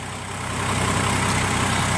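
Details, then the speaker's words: Chevy Trailblazer (2002–09) that had high RPM on start-up, after a cracked hose/elbow was replaced. A smooth, even low rumble holds steady without hunting or surging; normal idle, fixed. "sounds much better you can probably hear me talking that took care of it"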